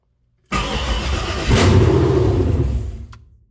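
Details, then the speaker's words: 1972 Chevelle, first start after Holley Terminator X Max wiring, no exhaust fitted: cranks briefly, catches at once and roars loud and deep through open pipes, blips, shut off after a couple of seconds; normal start. "You see, now y'all see why I can't let that run, because that's crazy. Yeah, my neighbors will kill me, but we got action, y'all."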